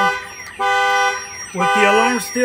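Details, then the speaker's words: 2013 Chevrolet Silverado with Viper 5706V alarm/remote start, armed: door opened, loud stepped siren tones rising and falling with horn blasts while the pager alerts; alarm triggered by door opened while armed. "if somebody wants to open the door it's going to show you on here that your alarm is going off"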